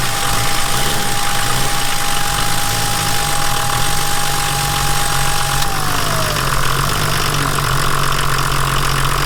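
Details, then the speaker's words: Volvo 740 D24t turbo diesel, revived after sitting, injector lines retightened and fresh diesel supplied: steady, even clatter, smooth rhythm with no knocks, idling a little high. "now let's start with the tripod a bit of a high idle but I ain't going to be questioning anything"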